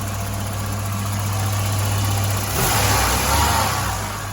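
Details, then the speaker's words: 1985 Volvo 245 wagon, B230F engine with LH2.2 fuel injection; lumpy idle with an uneven exhaust stumble and misfire. Cylinders one and two ran cooler, traced to clogged fuel injectors and a leaking fuel pressure regulator with fuel in its vacuum line. "but anyways we came at a conclusion that the fuel injectors were clogged and the fuel pressure regulator was uh was leaking as well"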